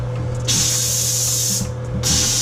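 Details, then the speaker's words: Domestic water winterization blowout at a lavatory faucet with a 1.0 gallon flow restrictor: two strong, steady bursts of air hiss as the line blows clear with plenty of pressure. Normal air blowout at the faucet. "just hit that lav faucet and make sure all the water came out, alright? Just a little splat."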